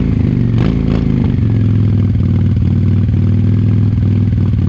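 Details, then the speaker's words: 1998 Honda Shadow 750 ACE V-twin, sat over 5 years, after carburetor cleaned: very loud open exhaust at low, slightly uneven idle with faint clatter, hesitant running; owner suspects fuel issue, possibly aging gas. "I don't know if you can tell from the video but it seems kind of hesitant and like maybe there is a fuel issue still happening"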